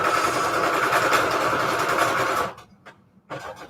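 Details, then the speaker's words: Sewing machine at full stitching speed: a fast, harsh clattering rattle for a few seconds, then it stops. It is running rough and the owner says it needs cleaning. "machine sounds like it wants to like explode oh yeah okay so i need to clean my sewing machine up tonight"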